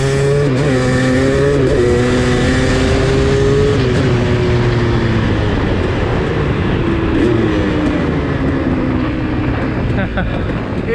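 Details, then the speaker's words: KTM 300 two-stroke dirt bike on stock Keihin PWK 38 carb with JD Jetting kit, riding under load through first to third gear; crisp, clean rasp rising and falling smoothly, snappy from the bottom, no misfire or bogging; sounds very healthy. "it was pretty good and it's brilliant and snappy from the bottom we can probably hear it I'll stop you can probably hear it very it sounds very healthy first kick probably it sounds so healthy"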